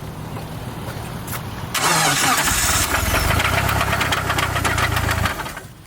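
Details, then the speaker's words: EVO 4 engine on a ride: it fires up into a heavy, uneven knock at about three to four a second over a rough idle, something disconnected inside. Owner thinks it is rod knock and suspects it explains a long-running loss of power. "that's bad this is something disconnected inside the engine"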